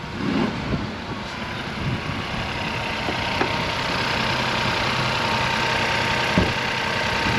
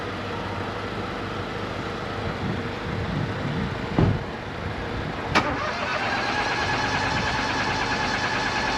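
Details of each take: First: Crash-damaged salvage car, first start on jump leads after clearing crash codes: engine settles into an even, steady idle with no knocks, misses or ticks; sounds healthy. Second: Crash-damaged auction car on jump leads, blowing exhaust: steady starter churning with a couple of sharp thumps but no catch; cranks without starting, oil present, owner suspects the pyro fuse from the crash.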